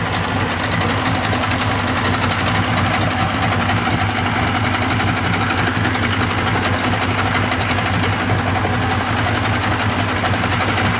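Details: 1995 Yamaha 75hp two-stroke outboard on a pontoon boat, just after a water pump replacement, starting on choke and not yet warmed up: smooth, even idle with a steady low burble and no misses or knocks. Normal idle.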